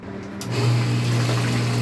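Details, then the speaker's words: Water pump started: steady low hum and splashing water, then the flow note changes as it stops drawing water. Pump loses suction and stops pumping; cause still to be found on disassembly. "it comes back and sucks and stops doing so, we are going to show you below where the problem is with this pump,"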